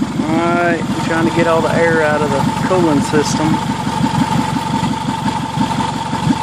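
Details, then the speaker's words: 2003 Toyota Camry, first start after engine swap, idle: uneven puffing tick about one or two a second over steady hum; exhaust leak at bad flex coupler, engine itself quiet with no valve noise or knock. "the noise that you're hearing in the video is the leak at this at this blessed coupler right here this is all exhaust noise that motor is really really quiet there is no valve noise and there's no knock"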